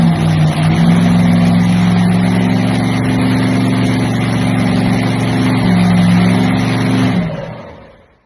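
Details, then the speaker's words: Early Hemi blown nitro Top Fuel V8 with Enderle injector and Vertex magneto, first start on gasoline, setting idle via linkage screw: loud deep lumpy idle holds steady, lifts slightly, then shuts down; no knocks or misses, normal idle. "And you could hear it coming up and down as I'm turning the screw, the linkage screw."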